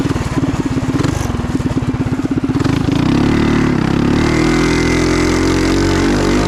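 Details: Trail Master MB200 mini bike, stage 3 223cc single, open exhaust, after replacing rubber engine-cradle bushings with metal slug bushings: pulsing beat, then a smooth climb to steady revs with no chain skip; before, it skipped the chain. Normal.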